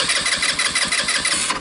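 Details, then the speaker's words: Tao Tao Bull 150 ATV with GY6 engine, abandoned after sitting and not starting: steady rhythmic electric-starter cranking with even compression pulses, never catching; cranks with apparent compression but won't fire, spark untested. "Sounds like it has compression."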